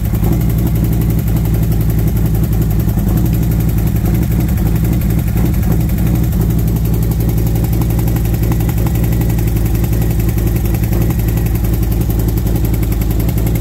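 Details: V-twin motorcycle warmed up after new SS540 cam and valve springs, lifters set to four full turns: lumpy idle with fast light tick over exhaust beat from front valve cover; lifter or valve train suspected, exhaust side front possibly louder.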